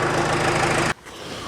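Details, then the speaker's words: 68 Bronco with 4BT Cummins diesel, right after fitting new liquid-filled motor mounts: loud clatter with a sharp raspy puff on every firing pulse until shutdown. Exhaust leak at the popped-off downpipe. "well it's kind of hard to tell if it's quieter uh because my down pipe popped off i guess i didn't have it locked on there completely"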